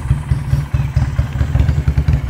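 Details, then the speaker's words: Magnum 250 Chinese bobber motorcycle, 250cc twin with 360-degree firing and two spark plugs, idling. Deep, lumpy, even thumping, no ticking or knocking, healthy idle. "this is its idle now when you rev"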